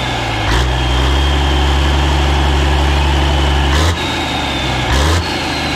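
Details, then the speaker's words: Caterpillar 3406A diesel first start after long storage, run without coolant, with hand primer bypassed and turbo ring clamped: strong, even idle with brief blips and no knocks or ticks; healthy, about 50–60 psi oil pressure. "thing runs really good it sounds really really strong i don't hear any knocking or anything crazy"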